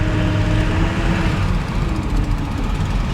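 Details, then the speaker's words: 1999 Ford F350 7.3L PowerStroke diesel while driving: faint steady power steering pump whine over the diesel rumble and road noise, steering hard to turn; owner suspects low fluid from a hydraulic leak. "the power steering is a little hard to turn there and I hear power steering whining"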